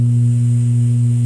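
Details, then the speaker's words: Realistic SCT-34 cassette deck with hum in left channel: loud, constant low hum whenever powered, not a strong AC hum; it later faded on its own, owner suspects a dirty record-play switch. "whenever you apply power of any sort you get this hum and it's not a really wicked AC hum either"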